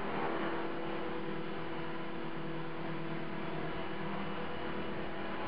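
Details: CopterX RC helicopter after a crash making a buzzing noise with blades out of track; owner suspects bent blades, fears bent blade holder or feathering shaft. Constant droning buzz with steady mid tone and rough flutter underneath.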